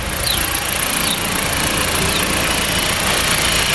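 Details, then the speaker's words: Fiat Freemont 2.4 idling with air conditioning on after repair; steady even idle, belt squeal gone; the noise had been wrongly blamed on the AC compressor but came from the belt. "galera o ar tá ligado já não faz aquele barulho mais sumiu com barulho de Correia que tava cantando"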